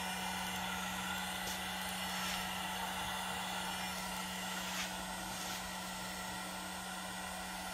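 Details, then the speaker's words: Air-cooled 1.5 kW 110 V CNC spindle on VFD, slowed from 24,000 toward 10,000 rpm: steady, clean hum with smooth airy hiss, no wobble or grinding; stable normal running. "so far so it looks good it's pretty stable 24 that's the maximum speed low work now so that's the sound let's say set it up to [Music] 10 000 rpm"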